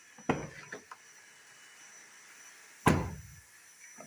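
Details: Fiat Uno door after folding back loose internal part: two clean solid thuds on closing, no rattle; noise resolved, small remaining sound is a rubber bumper.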